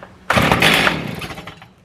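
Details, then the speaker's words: Stihl MS310 chainsaw, still hot after an ignition repair, that had stalled when hot: no start on warm start, then on choke one hard pull gives a sharp cough that catches briefly and dies within about a second. "So let's go ahead and try it on the warm start first. No? Alright, let's go ahead and choke it."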